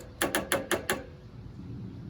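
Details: Toro zero-turn mower after a starter solenoid replacement: five quick sharp clicks, then no cranking. The solenoid chatters because the battery is too low to hold it closed; an overnight charge fixed it.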